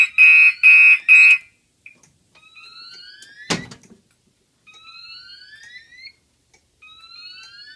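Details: Gentex fire alarm horns on a DMP XR-500 panel system test: three loud, harsh blasts then a pause, temporal-3 evacuation pattern, with code-3 relay clicking from the XR-500 in background.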